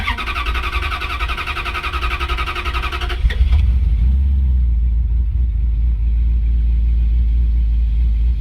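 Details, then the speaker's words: 1956 Dodge after fuel pump repair, restarted after waiting for the PCM to reset: fast cranking catches and settles into a steady, even low idle with no stumble. The idle is normal. "And there, it's running again. It's always nice when it actually turns back on after working on it."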